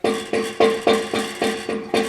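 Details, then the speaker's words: 2005 Duramax truck exhaust tapped with a rubber hammer to simulate engine vibration: tinny metallic buzz, a loose heat shield rattle like the one heard when decelerating; V-band clamp checked and not loose. "Okay, you hear that rattle? Hopefully you can hear that. That's what I'm hearing as I'm like decelerating, and it's very, very annoying."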